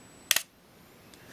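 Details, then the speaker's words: Olympus XA4 Macro 35mm film camera, flash test: a crisp double click of the shutter and flash with a bright flash, a faint high charging whine, then another click after re-cocking. Shutter and flash fire normally. "Okay, so now I'm going to push the shutter button, and we'll watch right here. It may not show real well in the video, but we'll try it. Definitely a bright flash."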